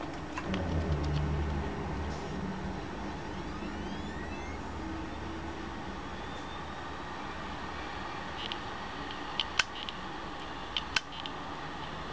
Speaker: sonido es el de un disco rígido roto tiene los cabezales trabajados tiene reparaciones todo generalmente este sonido le empieza a hacer cuando el disco rígido ya cumplió con su ciclo de vida